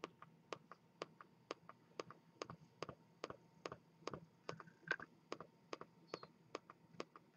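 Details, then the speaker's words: Razer Mako 2.0 speaker system, about three years old, playing from an MP3 player: sharp dry ticks, louder and faster when the control pad dims, from a faulty capacitor. "so this is the ticking sound it makes and it gets louder and the frequency becomes higher when the control pad dims"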